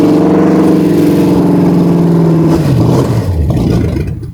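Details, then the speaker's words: Ford Galaxie 500 classic project car: steady even beat, then pitch sags and it dies as fuel runs out; otherwise sounds good and healthy. "Running out of gas, but that's it. She sounds good. She's gonna fire, she's gonna run good."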